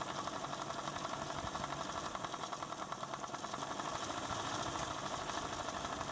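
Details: ADDA computer fan running with bad bearings, somewhat better than before but still faulty: fast, steady buzzing rattle over a hissy whir; worn fan bearing.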